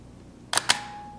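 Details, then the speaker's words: Nikon FE camera with a non-AI lens, depth of field preview used, auto exposure at f/5.6: two crisp clicks about an eighth of a second apart, mirror up then shutter closing, slightly longer than at f/1.8; normal shutter operation. "if we go down to f56 you should have been able to hear that that was a slightly longer exposure"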